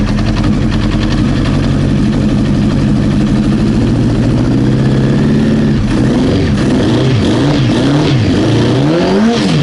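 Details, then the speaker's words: Old Honda CBR900 Fireblade, cold and warming up, full of fuel: the four-cylinder hunts, its pitch swinging up and down instead of holding; rough running, yet all four header pipes are hot. Cause unconfirmed. "Doesn't sound too happy. Let's see if we can reach these header pipes and see if there's any cold ones."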